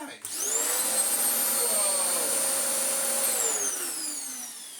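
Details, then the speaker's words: Vax Power U84 vacuum after its off-centre belt problem, with the brush roll reassembled and a brand new belt fitted. Spins up to a clean, steady high whine with no slapping or squeal, then winds down smoothly; normal running. "Whoa. I think just removing it and putting it back together has solved it, although, our lovely clean and tidy bin is no longer so lovely and clean and tidy, and our filter is also a bit more dirtier now."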